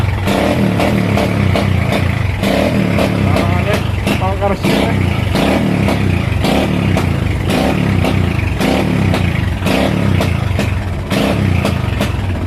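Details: Motorcycle single-cylinder engine with faulty regulator and flat battery, idle cutting out worse when headlight draws current: irregular stumbling bursts with sharp pops like rapid backfire, won't idle steadily; misfire from faulty regulator and flat battery.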